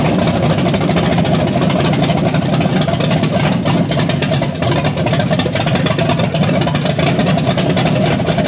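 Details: Blueprint 540 big-block Chevy in a C10, 870 cfm Holley Street Avenger, initial timing set to about 14 degrees: loud steady even idle through open headers, no misses or knocks; normal idle.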